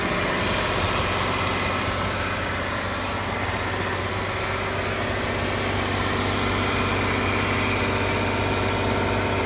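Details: Ticking noise from the engine bay of a 2015 Jeep Wrangler Unlimited Rubicon with 200 miles, held at 2000 rpm; a fast, fairly regular light ticking over the petrol engine hum.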